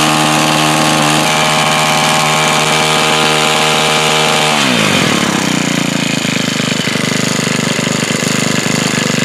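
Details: New Home Depot tiller that wouldn't start, owner suspecting debris in the blades tightening the pull cord: small engine revs hard and steady, then drops smoothly to an even idle with no misses; running normally.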